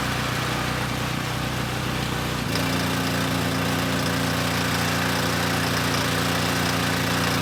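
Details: Coleman Powermate Pulse 1850 generator, 1996 engine, long unrun, before repair: small single runs uneven, then tone shifts and steadies as choke added to about half; still supports 1500 W load; rough running from dirty carburetor.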